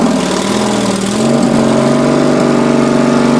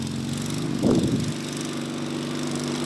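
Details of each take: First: Racing Panzer small engine after carburetor cleaning, fuel line reconnected before fuel pump install: catches, runs unevenly for seconds, then dies; carburetor needs positive fuel pressure, so a fuel pump is being fitted. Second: Racing Panzer small engine after carburetor cleaning and fuel pump install: runs steady and even with a brief throttle blip, pulling cleanly without stumble or misfire; now running good.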